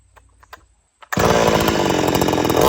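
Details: Old-school chainsaw, warm restart with switch turned on: quiet handling, then it fires and holds a steady, even high-pitched buzz with no stumbling; starts and runs normally.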